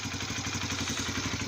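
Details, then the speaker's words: Honda CBR 125 (2004-2006) single started after an oil change and strainer cleaning, oil level checked, left idling in place to warm: quick, even putter at steady idle, no ticks, knocks or rattles; healthy normal idle. "tu peux lancer le moteur alors tu brusque pas vraiment au début tu laisses se lancer tout seul écoute bien si après des bruits suspects là tout se passe bien donc tu laisses tourné quelques temps sur place"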